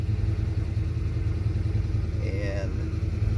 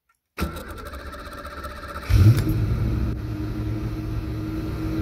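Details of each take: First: 1991 Ford Fox Body 5.0 V8 with Holley Terminator X and stock Ford IAC: steady, even warm-up fast idle at 1200 rpm target, IAC position wide open, no misses, hunting or dips. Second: 1991 Ford Fox Body V8 with a Holley Terminator X and the stock Ford idle air control set way open: the starter cranks, the engine catches with a loud flare, then holds a fast high idle, about 2,000–2,500 rpm.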